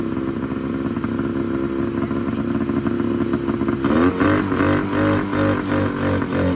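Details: 1971 Polaris Charger 398 two-stroke snowmobile, sitting for years, fed mixed gas straight through the air horns; raspy, uneven buzz that climbs and wavers as the throttle is blipped; engine fires and runs.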